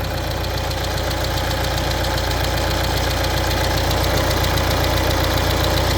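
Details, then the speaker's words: Peugeot Expert 2.0 HDi diesel with 200,000 on it, idling: fast even metallic chatter from the cam side; the two cams are chain-linked after the belt drive, and something in the timing chain has failed. "If you don't know what that is the timing chain. This is belt driven up to the top here, and then the two cams are linked together with a chain."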